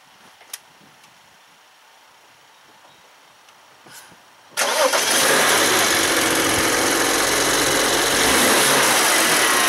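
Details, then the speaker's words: BMW N54 twin-turbo petrol engine, out of warranty, started and quickly revved; metallic clanking rattle from the turbochargers as revs fall, linked to 30FF boost pressure too low fault. "what you do is you give the engine a quick rev and on when the Rev comes down you're actually going to hear the distinct clanking noise from the turbochargers"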